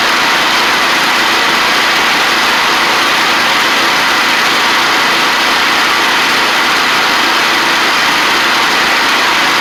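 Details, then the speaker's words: Restored 1985 Wheel Horse 312-8 garden tractor, after a multi-month revival: small engine holds a steady, even idle with no surging or hunting on a cheap aftermarket carburetor, which ended up working well; normal idle. "The carb's pretty good when it idles like that. That's nice, ain't it?"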